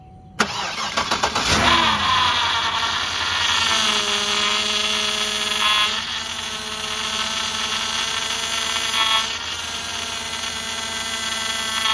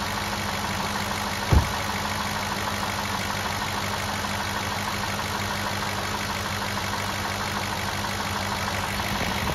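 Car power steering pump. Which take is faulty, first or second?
first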